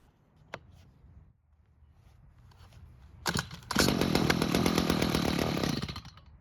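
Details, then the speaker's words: Stihl hedge trimmer stored without prep, with a broken purge bulb, started on hand-primed carb fuel: the small two-stroke barks and buzzes for about two seconds then dies; fuel is not reaching the carb, and unprimed it won't even try. "And as you just saw, without adding fuel to the carb, it didn't even try and start."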